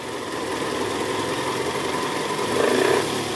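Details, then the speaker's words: 2010 Toyota Camry 2AZ-FE engine at cold start, heard from the side near the oil pan: rough gravelly grrr rattle at idle in neutral, D or R, easing as the engine warms; worn, loose balancer shaft in the sump. "Oke jadi bunyinya bunyi kasar di area bawah ya Bunyi gerak gitu nah ini mesinnya udah mulai panas jadi bunyinya sedikit berkurang"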